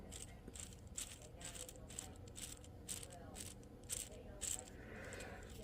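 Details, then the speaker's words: Old bearing removed from a Chrysler 46RH overdrive unit (1992 Dodge W250), spun dry by hand with no oil: light, uneven rattling tick, feels rough rather than smooth; worn bearing, replaced. "that little rattling you hear I can feel it it does not feel smooth and uh that other that other bearing just seemed a whole lot better"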